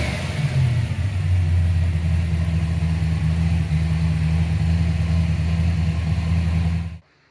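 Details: 1995 Ford Mustang GT, Ford 302 V8, after swapping in a new manifold, rebuilt carb, fuel pump and gas tank; a loose plug was found and timing set. Deep, even burble, a quick rev, then a steady rumble, running on all 8 cylinders.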